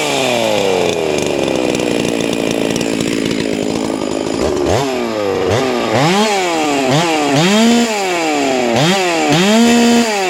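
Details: Hypo 660 build chainsaw with ported work, just after adding a third muffler port, 25 bar fitted: idles, then crisp rapid blips about four a second, pitch snapping up and dropping cleanly; snappy, responsive, healthy, oiling well.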